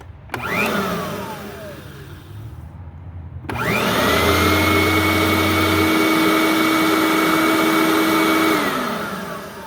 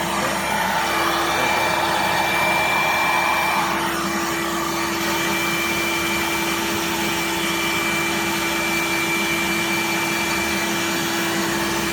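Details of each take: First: Riccar Supralite upright vacuum (church find) being serviced, tested after reassembly: motor spins up to a steady, even whine, no rattles or slapping, then winds down cleanly; running normally. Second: Riccar Supralite upright vacuum (church find) before servicing, belt broken, run to blow out dust: loud steady motor whir with rushing air and constant pitch, lots of airflow, little bearing noise; motor runs freely.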